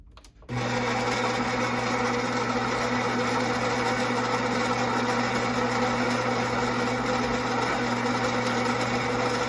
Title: Gaggia Brera squeaking sound while brewing